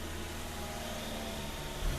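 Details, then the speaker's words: 2006 Mazda 3 during key-on engine-running test: low, uneven idle that stumbles and surges, sounding like a misfire; EVAP purge solenoid stuck open causes a vacuum leak and lean condition, gone with EVAP disconnected; fixed by replacing the solenoid. "was going to happen see that sputtering I love you can hear it but it's already sounds like a misfire with the evap connected with the evap disconnected we do not have that issue"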